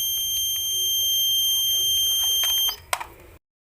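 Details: Washing machine control module: one press of power gives one long steady high-pitched beep of about three seconds and buttons don't respond; caused by an open 2W 330k regulator resistor that damaged the SMD AC-detect and inlet solenoid transistors.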